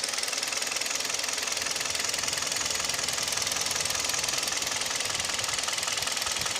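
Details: Kia G4KD (Hyundai/Kia Theta II) engine: piston knock and vibration at idle, rapid even metallic ticking ~200/min; knock also at 1500 rpm and noise pulling away under load with A/C compressor and mirror, window, seat heaters on; recorded from cabin.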